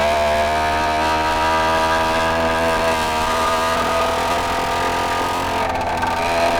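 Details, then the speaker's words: 80cc Walmart motorized bicycle two-stroke, rebuilt after winter storage, under riding load: a flat, strained drone that never climbs freely, bogging badly; top speed only 23 mph, cause unknown. "I want to see if I could actually make it run a whole lot better cuz right now it's logging down a whole lot"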